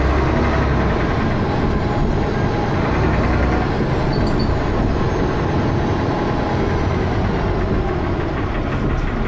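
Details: Dennis Arrow diesel bus P423PVW, recorded on a phone: loud heavy diesel thrash with a coarse clatter throughout; engine knocking, source undetermined.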